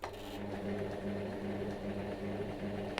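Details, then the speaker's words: Sewing machine after basic cleaning and maintenance, straight stitch at stitch length two and no thread loaded. It gives an even, rhythmic hum-and-tick of about three stitches a second with no binding, feeding fabric normally where before it did not feed. "you can see it's moving the fabric through now which it wasn't before and because i don't have the machining thread it's not going to be sewing at all it's just going to be pushing holes into the fabric"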